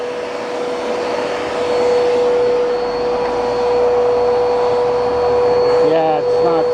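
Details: Bissell PowerForce Turbo vacuum, first start with uncleaned canister and burnt-off brush bar belt: the motor runs with a strained, steady high whine. Airflow is choked by a clog; paper is visible inside.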